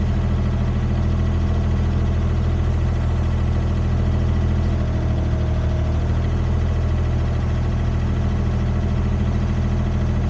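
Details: Used Komatsu PC10-3 mini excavator diesel at low idle, set just high enough to keep the battery charging: a steady, smooth deep throb with no knocks, ticks or misses; normal low idle.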